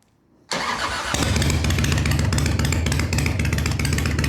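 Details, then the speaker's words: 1993 Harley-Davidson FXDWG Evo V-twin after carburetor rebuild, before road test: quick crank, then catches and settles into even loping potato beat; clean start and healthy idle. "Sounds good. Sounds real good."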